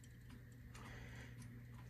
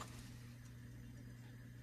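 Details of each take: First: 1958 Motorola 5K23B-1 "Golden Voice" console phonograph: low motor hum with uneven ticks about twice a second as a worn idler wheel, likely with a flat spot, struggles to drive the platter; skipping badly, idler needs replacing. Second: 1958 Motorola 5K23B-1 "Golden Voice" console phonograph running at 45 rpm; its idler has a suspected flat spot causing skipping. Here a low, even motor hum with no wow, dragging or skipping, holding steady speed.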